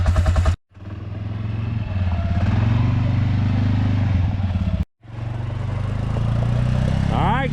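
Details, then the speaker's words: Old ATV quad after battery repair with solder, copper and Play-doh; unchoked, small single-cylinder catches, idles evenly, then revs smoothly on gas; runs clean and healthy, fix a success. "All right, what a fix, what a success. I'm actually excited to save myself $100."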